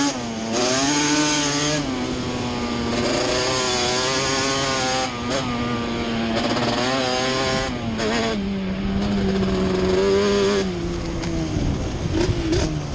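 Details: Yamaha Banshee two-stroke twin ATV on a ride after misfire chase (new plug caps, coil swap didn't cure it): carb needles moved back to middle position, crisp revs climbing and falling cleanly through the gears, no stumbling; miss gone, running normally.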